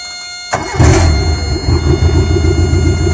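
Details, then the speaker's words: Carbureted car with manual choke, mechanical fuel pump and HHO system switched on with the key; normally won't start without choke, but with HHO on it cranks briefly, catches at once and settles into a steady, even low idle without choke. "Well, I lied. I lied. It started right up. Normally, it won't start up until, I found this out."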